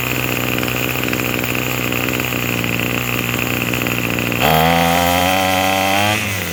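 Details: Craftsman 27cc two-stroke string trimmer, made 2013 and obtained free, on a run test: it buzzes steadily at a high, even speed, then revs up smoothly and settles; it runs and idles cleanly and sounds pretty good, though it is smoking.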